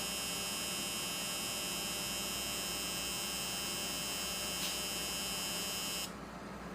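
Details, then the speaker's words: Injector on a DIY flow bench controller at 50% duty cycle and 5 ms pulse width. It gives a steady, fast electrical buzz for about six seconds, then the timer shuts it off cleanly. Normal injector operation. "Now you can hear the injector going off. The output duty cycle is 50%, pulse width is calculated to 5 milliseconds, and it automatically shuts off."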